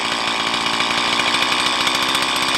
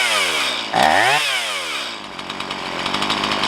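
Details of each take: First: Stihl MS170 chainsaw with 16-inch bar, upgraded with Farmertec parts, idle about 3,500 rpm while adjusting low-speed mixture screw: high buzzing idle rises then revs sag as screw turned in; idle mixture too lean. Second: Stihl MS170 chainsaw with 16-inch bar, upgraded with Farmertec parts, after setting idle mixture: drops from high rev, picks up cleanly, settles to steady even idle; normal idle.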